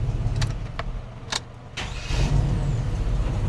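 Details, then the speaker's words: 2003 Chevrolet Silverado after starter replacement: brief crank, quick catch, then even idle with no whir or grind; old starter drive kept spinning 2–3 seconds after start, now normal start. "No noise after it starts. Perfect. All he was hearing was the drive. Turning the motor and then retracting and spinning for about 2 or 3 seconds."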